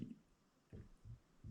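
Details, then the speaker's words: Used, high-mileage DI-ACRO bender bought on eBay, arm rocked up and down by hand: three dull low knocks from slack in the worn spindle. The play is slight but probably needs repair. "Okay, up and down. You can hear it just a little bit. It's probably at the point where it needs to be repaired."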